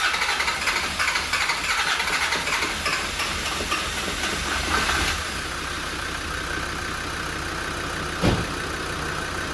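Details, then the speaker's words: Land Rover Defender 90 Td5 diesel, first start after top-end rebuild: cranks, catches and settles into steady idle within seconds with no knocking, lots of smoke; runs fine. "Success! Oh, we have a lot of smoke. You know what? It sounds really good."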